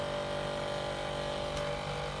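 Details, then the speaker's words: Cooker powered on showing H01 error (sensor fault); loud steady whirring buzz with a tonal whine from the worn, failing cooling fan, which needs replacing along with the sensor. "Quạt kêu như này là mình phải thay rồi."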